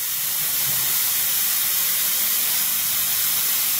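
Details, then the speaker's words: 1999 Nissan Maxima 3.0 fuel rail on a bench test rig, rail pressurized with regulator holding: steady sharp hiss with no rhythm as fuel sprays constantly from one junkyard injector, a leaking, bad fuel injector. "so the regulator is working you can hear that constant hit coming out of that injector there so that is a bad injector right there"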